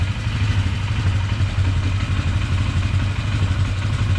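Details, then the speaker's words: 1999 Polaris Sportsman 500 after fuel pump replacement: steady, even low idle thump with no popping or misfires; normal idle. "I think that fuel pump was causing a lot of it sitting here idle and nice"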